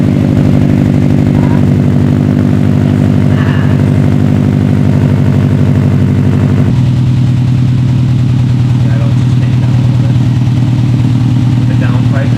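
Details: 2012 Subaru STI idling with newly installed Invidia N1 race catback exhaust: deep, steady burble with even pulses, settling slightly lower; no ticking or puffing, normal smooth idle.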